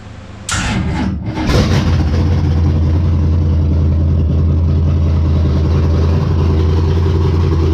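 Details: Race car Intimidator, small-block V8 with open headers, after fixing stalling problem: quick crank catches at once, settles into deep, steady lumpy idle with even firing; normal start and idle.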